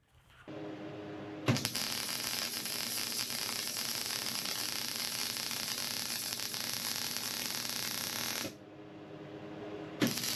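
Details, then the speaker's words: MIG welder set to the chart recommendations, bead run first too fast, then too slow: steady crackling sizzle with no breaks. The fast pass gave a thin weld. Wrong travel speed. "I'm going to travel fast. What I think is too fast. Again, we have the welder set to the recommendations on the chart. And then over here we will go slow."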